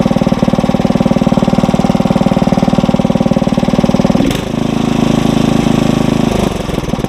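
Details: Tiller engine at fast idle while warming, no load: steady single-cylinder putter, note changing briefly midway then settling; normal fast idle.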